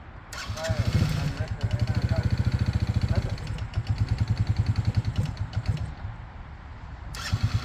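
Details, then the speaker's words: 2006 Yamaha Grizzly 80 ATV, neglected, smokes heavily and needs a new top end. Owner thinks the carb needs cleaning. Starter cranks steadily at three to four beats a second, pauses, cranks again, never fires. "Go. What a piece of crap. Don't want to kill the starter."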